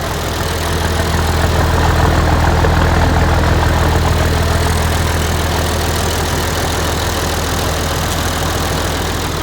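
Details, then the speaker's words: Massey Ferguson 1105 tractor with turbo Perkins diesel, abandoned project just started via push button: diesel settles into an even steady idle with low regular beat, no knock or misfire; runs smoothly, normal idle. "That has got to be one of the smoothest running, I don't know, she just runs good."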